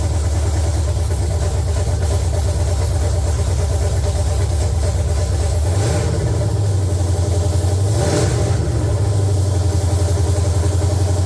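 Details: LQ9 V8 swapped into a BMW E36, first start after the build, open headers, no coolant yet, oil pressure light off: loud, deep burbling idle with two brief blips of revs; runs steadily, nothing abnormal.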